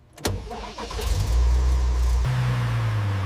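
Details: Restored transverse V12 Lamborghini (375 hp, 8,500 rpm redline), long-neglected then rebuilt over 6 months, start. Short crank, catches at once, smooth deep idle, then clean rev rise; healthy start.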